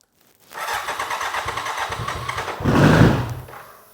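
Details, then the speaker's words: 1993 BMW K100 cafe racer project, first start after sitting long on old gas, with a new battery and fuel pump: lumpy, uneven, surging and stumbling running, possibly because it has not run in a while. "it's running a bit rough maybe because it haven't ran in a while"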